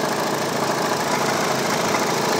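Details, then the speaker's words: Hyundai Tucson CRDi diesel idling loudly with a fast clattering rattle, much worse with the air conditioning on; caused by a worn auto belt tensioner, with tensioner and belt to be replaced. "So kaya ngayon guys ah titingnan natin kung makita niyoung auto tensioner na 'yon. So isa 'yan kung bakit ganyan sira 'yan. Tapos yung belt papalitan rin natin."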